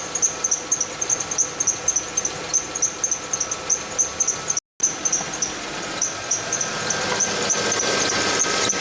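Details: Kia Sportage running. Sharp, high chirps about three a second keep time with the engine: the belt chirps because the harmonic balancer is separating, letting the belt ride the pulley toward the timing cover groove.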